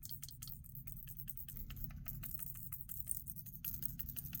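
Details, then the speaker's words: GameSir Tarantula Pro controller, back paddle failed: light irregular plastic clicks as it moves, from a small broken plastic piece loose in the cavity near the vibration motor. "there's something rattling inside here in this little housing. And I'm pretty sure it's like just flopping right around this little empty cavity where the um the um the motor vibrations are in here."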